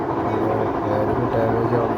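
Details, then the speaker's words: Whirlpool top-load washing machine (1-2-3 board type), during spin: loud rough rumble with wavering hum; worn mechanism bearing after water seal damage, quiet in wash; fix is replacing bearing and water seal. "Spin ചെയ്യുന്ന ടൈമിലാണ് അതിന്റെ sound വരുക ഇതിന്റെ complaint എന്താണെന്ന് വെച്ചാൽ ഇതിന്റെ മെക്കാനിസത്തില് വരുന്ന ഒരു ബെയറിങ് കംപ്ലൈന്റ് ആവുന്നത് കൊണ്ടാണ്"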